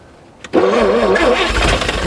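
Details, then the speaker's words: 1950 Chevrolet Fleetline Deluxe sitting for years, winter day, neutral, gas poured directly into the carburetor with fuel pump not yet hooked up: short crank, catches at once, revs climb and wobble; starts after long storage. "W nice unbelievable oh that's awesome we're going to hook up the pump then I'm actually kind of surprised"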